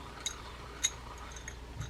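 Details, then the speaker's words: Vintage Shakespeare 2062 spinning reel, frozen by dried grease, being serviced and oiled. Turning it gives a few faint, sharp, irregular high chirps from the spool, possibly sand inside. "let's give it a turn we've got a little bit of a spool chirp there"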